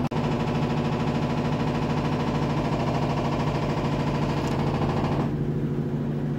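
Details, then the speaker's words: Samsung WD11M4473 11kg inverter washer-dryer, newly installed: a heavy rhythmic rumble and rattle during spin because one foot is unlevelled and the machine rocks. The fix is adjusting the foot. "Ó gente eu instalei aqui ó o barulho que ela faz agora tá vendo aqui gente eu vou mostrar pra vocês como ajustar tá bom Aqui você tem que ajustar o pé dela lá embaixo ela tá barulhenta ó porque tá em falso"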